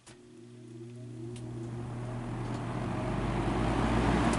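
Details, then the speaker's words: Vintage Brentwood box fan, salvaged from a garbage pile, first real run: low hum and airflow rise slowly over four seconds as the blades come up to speed, possibly never reaching full speed; sluggish motor spin-up, cause unconfirmed. "it turned a little bit very very slowly anything back here shot of the motor come on my smokes going out one fan you can do it go OOP I don't think it's up to full speed"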